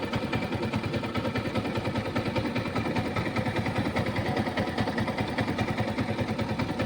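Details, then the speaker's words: Yamaha R15 V4 at idle after fitting an R15 V3 Panasonic radiator fan (replacing failed stock and Kinetic fans): fan kicks in around 100 degrees; steady idle with faint fan whoosh, cooling fan working normally. "Working ആണ് കേട്ടോ, perfect ആയിട്ടുണ്ട്. അങ്ങനെ ഇപ്പോൾ ഈ ബൈക്കിൽ പാനസോണിക്കിന്റെ ഫാനാണ്, work ആവുന്നുണ്ട്, വേറെ ഇഷ്യൂ ഒന്നുമില്ല."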